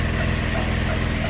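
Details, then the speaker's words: 2012 Chevy Impala police edition, 3.6L V6, after serpentine belt and tensioner pulley replacement: steady idle, low smooth hum, no squeal, chirp or slap; belt doesn't move, accessory drive quiet and healthy. "And that belt shouldn't move. So, this thing is good to go."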